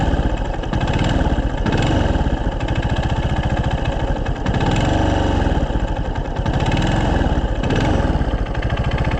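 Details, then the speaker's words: 2024 Yamaha Fazer 250 at 65,000 km: single-cylinder idle with a steady rapid metallic knock on each firing pulse; owner suspects connecting rod bearing, as he rides hard and the engine runs very hot. "eu tenho quase certeza rapaziada que é o rolamento da biela sabe por uma que eu ando correndo né aquece o motor para caramba"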